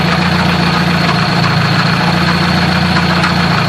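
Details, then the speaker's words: Car whose transmission lost 3rd gear while cruising (grinding, zero engagement), hood up at idle: irregular metallic clanking rattle from gearbox area; owner suspects throwout bearing or input shaft, unconfirmed; battery light also on. "So I'm trying to feel right now where that clanking is coming from."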